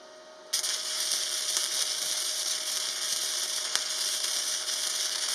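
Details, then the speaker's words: Parkside PMSG 200A2 multi-process welder, flux-core wire accidentally run on wrong (unreversed) polarity: harsh sputtering crackle with irregular pops, unstable arc, poor metal deposition and thicker-than-normal weld, initially blamed on the machine. "खैर यह अच्छा है क्योंकि video shoot की हड़बड़ी में, मैं ध्रुवीयता को उलटना भूल गया और मैंने पोस्ट को थोड़ा दोष दिया, खुद को यह बताते हुए कि चाप स्थिर नहीं था, कि धातु बुरी तरह से जमा हुई थी और सोल्डर सामान्य से भी अधिक मोटा था"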